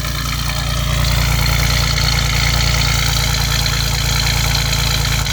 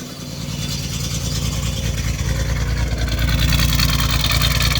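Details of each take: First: 1989 Chevrolet Celebrity 2.8 V6, three-speed automatic, new full exhaust, crankcase vent capped off due to vacuum leak: steady even low rumble at idle with no stumble; smooth for now, misfires at idle intermittently. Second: 1989 Chevrolet Celebrity 2.8 V6, three-speed automatic, new exhaust: idle goes from steady to lumpy, uneven chuffing when the crankcase vent hose is unplugged; misfire from a vacuum leak, owner suspects lower intake manifold gaskets.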